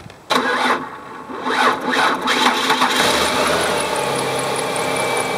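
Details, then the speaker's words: Car with a weak battery, started with a portable jumper: slow dragging crank pulses for about two seconds before it catches and settles to idle; bad battery is the cause, no battery light while running. "because the car started up when I used the battery jumper you could hear it actually still wagged but then finally there's enough juice in that jumper to get started"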